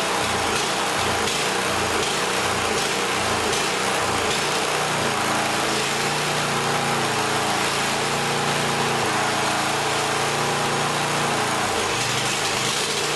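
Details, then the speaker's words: Yardworks snowblower small single-cylinder engine: speed rises and falls rhythmically before steadying; hunting, sounds fuel-starved, levels out at half to three-quarter choke; owner plans proper gaskets and a carb kit. "so so yeah it's hunting a bit it sounds like it's starving when I put the choke on about half or 3/4 it uh levels out so chances are I need to just get some proper gaskets and do a carb kit on it"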